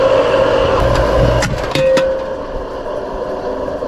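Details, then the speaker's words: Home AC condenser unit after a handyman added leak stop, switched on: rough start, steady whirring with a cluster of loud clattering knocks while compressor and fan run; sounds badly wrong, start capacitor found fitted. "Alright, let's go turn it on. Holy crap, that sounds terrible. What in the world?"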